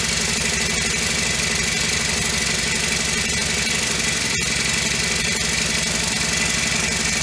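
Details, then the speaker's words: Honda FG100 four-stroke mini tiller after repair, choke off and idle raised: quick, even popping at about four beats a second, steady with no tapping or misses, a healthy idle that is much quieter than the day before when it had no valve. "starting to like this a little better much quieter than it was yesterday when it had no valve"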